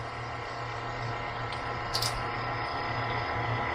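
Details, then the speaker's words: AirDog lift pump on a TDI diesel swapped into a Jeep, first run with empty fuel lines: steady low electric drone, a little uneven while it pumps air before fuel arrives. Normal priming. "So when I push this on here, it will start running the air dog. Here, it's just pushing air right now. Everything is empty."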